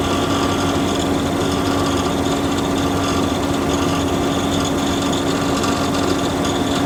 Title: OUTBACK 3.6r rattling sound